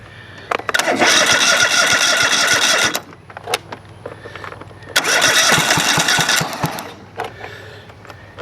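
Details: Craftsman GT5000 lawn tractor twin after a woodruff key replacement (a 1.5-inch bolt used instead of 1.75-inch): two short bursts of uneven, lumpy running that die out. It vibrates and smokes a lot despite good compression of about 150 on both sides; the cause is unknown.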